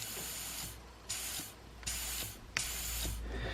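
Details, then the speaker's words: Mazda RX7 with a K20 turbo engine (GTX3076R turbo), eBay wastegate heat-discoloured after boost cut: air blown into the wastegate hose hisses back out the other port through a torn diaphragm; the owner suspects this is one reason for the excess boost. "That noise is coming out of this one. So that means the air is going down there through a hole in the diaphragm, obviously, and back up this tube here."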